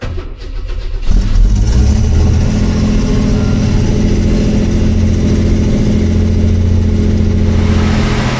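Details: Classic car after carburettor float/bowl cleaned and reassembled with old gaskets: engine catches after a second and settles into a steady, even low idle with no misses or knocks; runs healthy.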